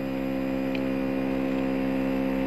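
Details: Motorcycle starter with a MOSFET added to the starter relay circuit: strong, steady whirring crank at an even pitch, no slowing or dragging; the cranking was weak before the MOSFET was added.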